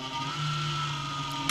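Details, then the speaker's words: PC case cooling fan: a steady drone with a hum and a thin high whine. It was isolated by stopping the fan by hand, and the noise is blamed on the fan spinning too slowly or unevenly. "심각하죠 네 이게 회전수가 일정하게 나와야 되는데 회전수가 회전 속도가 느리면 이런 증상이 보여요 자 이거는 케이스 쿨리에서 나는 소리를 찾아낼 때 아 원인을 찾았다 그죠"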